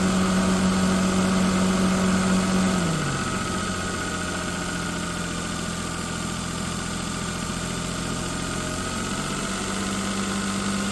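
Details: An engine at idle gives a steady low drone that sags after about three seconds and then climbs back, an uneven and abnormal idle noise whose cause is unclear.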